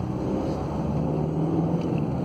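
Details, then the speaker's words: 2008 Skoda Octavia 1.9 TDI, 178,000 miles, test drive after new clutch, flywheel and reconditioned gearbox: steady even diesel drone with road rumble, no clunks, whine or grinding; drives, pulls and accelerates well. "Sounds good. Car's driving good, pulling good. Good acceleration."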